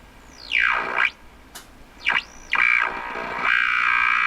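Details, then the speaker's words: RCA Victor 12X2 radio after full recap, 455 kHz signal injected at the antenna input: whistles sweep as it tunes, then a steady high tone; the radio picks up the signal fine. "but it's right at 4 55. so the radio is picking up a signal for sure"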